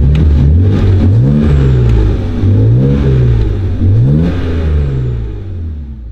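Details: BMW E92 335i with N54 engine after a complete engine swap, warmed up after first start, no leaks: engine pitch rises and falls cleanly with each throttle blip, smooth and even with no stumble; runs healthy.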